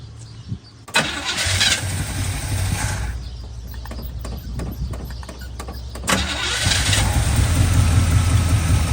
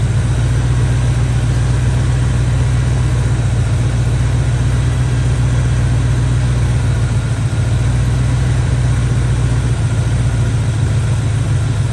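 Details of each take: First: Barn-find Chevy square body truck with a 350 V8 and automatic: catches with uneven sharp pops through the carburetor and a rough, lumpy idle. Distributor cap and rotor ruled out; timing set by ear and suspected, not confirmed. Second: Barn-find Chevy square body truck with a 350 V8 and automatic, after a tune-up and timing work: a deep, even idle held steady with no stumble, miss or ticking. Running decent.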